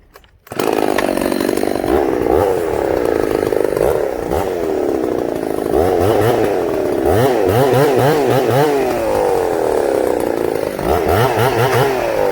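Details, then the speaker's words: Ported Husqvarna 266SE two-stroke chainsaw cutting a tree: screaming high revs with pitch sagging repeatedly, loads up and bogs then restarts; owner notes it loads up idling with chain brake on and idle needs turning down. "See right there, guys, it loaded up there. It'll restart."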